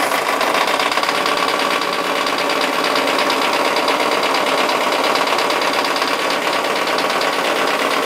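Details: Mazda Miata first started with fresh oil after sitting eight months, briefly run about one second at full throttle with the throttle wedged open: fast, sharp metallic ticking and knocking over idle; cause undetermined.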